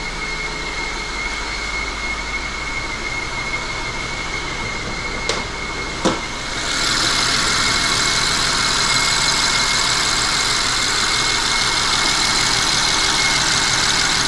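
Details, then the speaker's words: BMW 750Li with eight-speed, after transmission repair, at idle: steady high-pitched whistle over the smooth idle, louder at idle and fading when moving, seeming to come from the back; excess crankcase pressure suspected. "it sounds like the whistling is coming from the back of the engine it's hard to tell"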